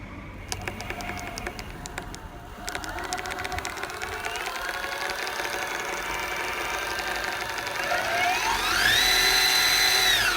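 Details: Boosted Board v1 Dual+ electric skateboard: motor whine rises and falls with speed while a quick, regular clicking comes from one wheel.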